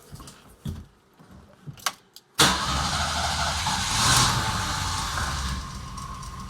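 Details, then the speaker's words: 1979 Jeep CJ-5 revived after sitting 29 years: after a couple of clicks the engine catches and idles with a loud, steady airy hiss from a fierce vacuum leak still to be tracked down; alternator charging the battery. "The vacuum leak is something fierce. Can hear it from here. You're going to have to track that down."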